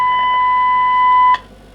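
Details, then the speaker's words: Kenwood TS700S 145 MHz VHF transceiver receiving FM test signal, 1 kHz tone at 5 kHz deviation: clean steady tone cuts off sharply as squelch closes; demodulation and squelch work normally, though S-meter faulty and slight hum suspected from electrolytic caps. "now the generators is modulated with one kilohertz fm five kilohertz deviation oops oops [Applause] squash also operates"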